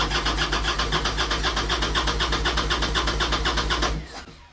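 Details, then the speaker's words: 1998 Harley-Davidson Sportster sitting 3 years, carburetor fogged with gas and 2-stroke oil: starter churns about four even beats a second, no catch, then drops away; crank no start, carburetor not pulling gas, to be removed. "I fogged the carburetor with a little bit of gas and a bit of oil, 2-stroke oil, and it fires, but it's not pulling any gas."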